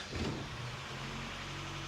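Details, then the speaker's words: 1973 Toyota Hilux, manual-swapped, after repairs (alternator fix), backing out: short crank catches almost at once, settles to smooth even idle; normal easy start. "that's how I remember it starting nice and easy"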